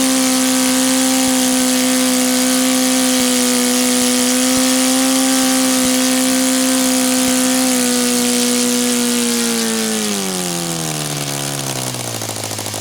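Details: Rebuilt OS FT-120 II model engine, first run after rebuild, on Omega 10% fuel, OS F plugs, Master Airscrew 16x8 prop, warm day: high steady buzz holding even, then sagging off as fuel runs out; runs cleanly.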